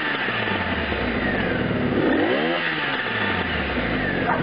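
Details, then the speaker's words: Honda VF700S Sabre engine blipped and falling back, popping on deceleration from a lean mixture caused by an intake air leak deliberately left in front of the carb at the airbox boot. "you hear that popping on the way down that popping on the way down is because there's an air leak on one of the intakes on this and it's not behind the carb"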